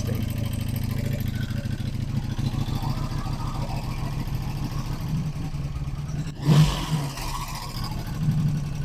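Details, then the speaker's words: 1985 Honda Magna V30 V4, first start after carburetor rebuild and tank repair: fast dense clatter over rough lumpy idle, flaring with a throttle blip, sounds about to explode up close; heavy valve train chatter suspected. "It's valve chatter, but like valve chatter and then some."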